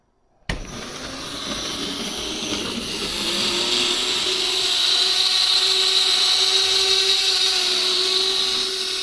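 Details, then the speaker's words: HO-scale monorail unused for a while, running on its guideway: loud, steady high-pitched motor scream that climbs slightly, but the train doesn't move; owner suspects wheel slip on a dirty track section, or a derailment. "what are you doing it sounds like it's [Music] dying can you imagine a monreal wheel slip right"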